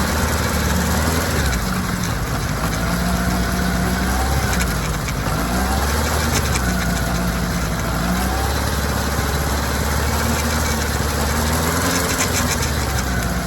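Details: Kawasaki ZR-7S air-cooled four-cylinder running steadily with a rough, gritty rattle over the motor; chain noise, cause not known.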